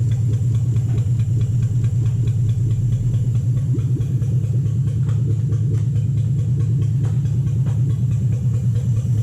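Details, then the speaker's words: 2007 Toyota Hilux Vigo 4x4 with a swapped 3UZ Toyota V8 and manual gearbox, idling after a suspected lost coil on one bank was fixed, right-hand side now running properly: a deep, even V8 idle with a steady beat, no misses or knocks. "so totally set right hand side running properly now that sounds good sounds lovely"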